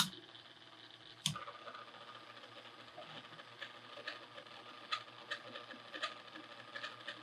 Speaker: this thing's a bearing the shot listen to that you put any kind of load on it and they just start cranking up again